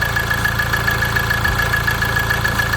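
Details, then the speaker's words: Ford Transit Connect diesel at idle after an oil sump replacement: faint, even rattle on each firing beat, from the crankshaft pulley harmonic balancer whose rubber surround is worn and shaking. "But the noise having the crankshaft pulley, as you can see. Crankshaft pulley, harmonic balance of the crankshaft pulley."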